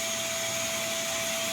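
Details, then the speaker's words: New FLSun T1 3D printer dead on arrival (self-test failures, no heating, no motion): a loud, steady airy rush with a faint high whistle that never changes; the cooling fan is stuck at full speed until power is switched off. "So, I'm going to turn this off so you don't have to listen to the noise and come around here and hit that."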